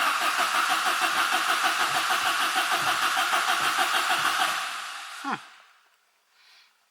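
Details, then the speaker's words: Opel Kadett GSI (Astra mk2) with new battery cranks evenly about three beats a second for four seconds but never fires; fuel present but apparently no spark, owner plans to swap electrical parts to find cause. "I brought another box with parts which I had in my shed at home, because there's still no spark at all. I'm going to exchange some electrical parts to see if we can get it started, or at least get a spark."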